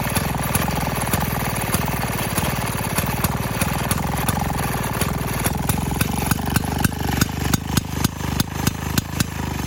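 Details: 1928 Maytag gas washing machine single-cylinder engine: crisp, even popping with sharp exhaust barks, picking up steadily after starting; runs fine.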